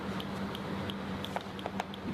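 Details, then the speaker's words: Liner integrity spark test (holiday detector) on geomembrane over Bidim C conductive geotextile: sharp regular snapping ticks about six per second over faint hum plus audible alarm as the spark arcs through a small pinhole; defect detected. "You can hear the audible alarm, so as well as the arcing sound that you can hear, the holiday detector or the arc test will also provide an audible alarm to state that the defects being detected."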